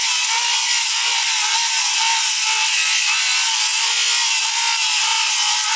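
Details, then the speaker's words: Diablo 7-1/4 in 24-tooth framing blade on a cordless circular saw cutting roofing flashing, shingles and lag bolts; steady high-pitched whir without slowing or bogging, saw healthy under load, blade still cool afterward. "as you can see straight through flashing shingles lag bolts oh my god i didn't realize i was in there"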